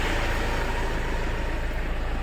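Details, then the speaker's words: Mahindra Xylo diesel, earlier crank-no-start with P0340 and erratic rpm and temperature gauges, now started after injector wiring and battery work: steady, even diesel idle clatter, firm low rumble, no misses or knocks; normal idle. "Guys finally हमारी गाड़ी चालू हो गई है"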